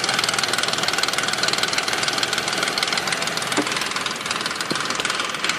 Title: 2005 nissan quest rattle noise front of engine